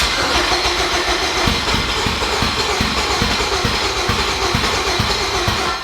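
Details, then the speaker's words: Boosted K20 swap with tuning in progress, fuel pressure about 50 psi: six seconds of steady cranking around three beats a second that never fires; intermittent extended crank, sometimes eventually starts. "so sometimes it just does that for like a while and sometimes it'll actually fire up"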